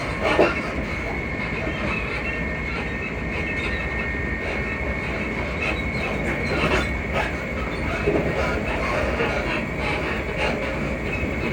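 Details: Class 334 unit 334031 rolling on the Haymarket–Bathgate service: a thin, high squeak keeps returning over the steady rail roar and wheel clatter, likely a dry suspension joint.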